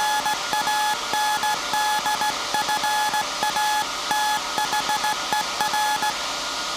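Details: SAQ Grimeton 1924 Alexanderson alternator VLF transmitter on 17.2 kHz CW, December 1st 2024 centennial transmission, punch tape transmitter soon to stop and hand over to hand keying: clean steady beep near 850 Hz keyed in Morse dot-dash rhythm; normal CW keying.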